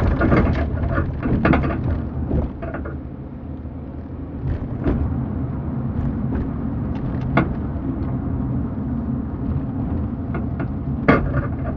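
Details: Car turning left, camera in back seat with 40% seat back folded and empty trunk: scattered irregular dull clunks and knocks over road rumble; owner believes something is wrong with the car itself.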